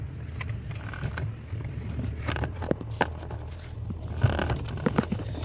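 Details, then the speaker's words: Steering box after repair: low, steady rumble with only faint scrapes and light taps and no knocking. The noise came from faulty installation, fixed by loosening the box and subframe and moving it back to the factory marking. "Não dá mais barulho, né? Perfeito. Problema resolvido."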